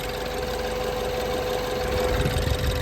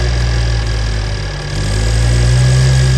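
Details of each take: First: 2015 BMW 428i N20 at idle after upgraded timing chain tensioner install: steady idle with light, fast even ticking, no tapping; normal fuel injector tick, idle now stable. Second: BMW N20 428i (F32) after timing chain tensioner upgrade, started with intake left unplugged: deep idle with uneven pulse about four times a second swelling and sagging; rough idle from disconnected intake.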